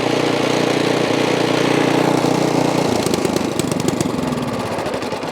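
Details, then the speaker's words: Ariens Path Pro 208cc single-stage snow blower engine after opening up the carburetor idle circuit jet, started without primer; holds steady even speed with no rise and fall, surging fixed. "And look at that, boys, the surging has went away."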